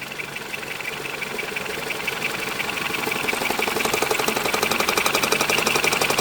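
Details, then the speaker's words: High-mileage ex-police BMW G31 5 Series Touring, first start after neglect, nearly at operating temperature: a sharp tapping at about 4 per second that comes and goes from under the engine; the owner doubts it is rod knock. Intermittent tapping, cause unknown. "But I can constantly hear some tapping noises. Can you hear this now? But it's coming in and it's going out. Coming and going."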